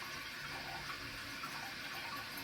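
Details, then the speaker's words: Toilet leaking for months: a constant hiss of water trickling into the bowl while the tank fills slowly; the chain is stuck under the flapper, and moving it aside stops the flow. "flapper. A lot of water seems to be coming out from the bowl. And this is filling very slowly. And I noticed that this chain is actually stuck under the under it's stuck underneath the flapper."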